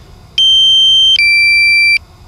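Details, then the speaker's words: DJI Mavic Air controller in flight: two sustained high beeps of about a second each, the second slightly lower, warning that the battery is low before return to home in about five seconds. "this beeping is so annoying but it pretty much saves your drone when I have my first drone I wouldn't listen to this beeping battery level is low five seconds so let's see"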